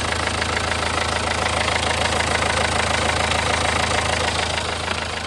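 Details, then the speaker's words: Renault 1.5 dCi diesel with Delphi injectors, No. 3 and 4 leaking off too much fuel, about two minutes running after injector repair with new parts, before warm-up: steady even idle, ordinary light clatter, no knock or miss. "So Yeah, I would say that's 2 minutes, I don't hear any noises."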